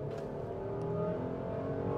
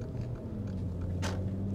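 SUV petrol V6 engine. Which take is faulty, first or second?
second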